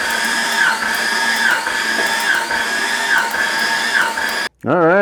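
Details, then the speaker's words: Jeep XJ cranking with plugs out during a compression test, cylinders six to one; steady starter whine with even rhythmic dips about once a second, normal cranking; reading almost 130 psi on number six. "okay next up we're going to do a compression test but first we need to call in a little helper in order to turn turn over the motor as we uh do that compression test"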